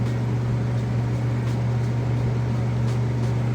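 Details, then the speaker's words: Whirlpool top-load washer draining wash water after agitation, before spin, with a ceiling heater running overhead: low steady hum with no rattle or grind, pumping water out fast; normal quiet drain pump operation. "you can hear that drain running over my heat there. Nice and quiet. And pumping that water out pretty fast."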